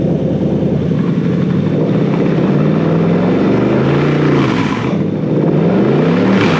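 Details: Toyota 3UZ-FE VVTi V8 freshly wired to a Haltech Elite 2500 loom, revved: strong, even note climbing smoothly through several blips and dropping back cleanly with no misses or knocks. Normal revving.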